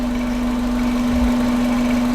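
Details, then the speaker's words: Subaru EJ20-powered Volkswagen Vanagon at idle, gauge reading about 800 rpm (sounds lower): steady, even, really rather smooth hum, no knocks or misses; loose belt noted chirping. "really rather smooth."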